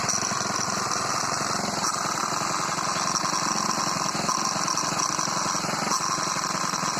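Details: Moped small four-stroke engine running with a new carburetor filter fitted: fast, dry metallic clatter over the exhaust note; a rattling timing chain is suspected but not confirmed.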